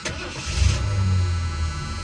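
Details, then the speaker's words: 1978 Lincoln Mark V 460 V8, a barn find that sat for years, with a replaced vacuum advance: brief crank, then it catches at once and settles into a deep, steady, even rumble. A healthy start. "and it fires right up"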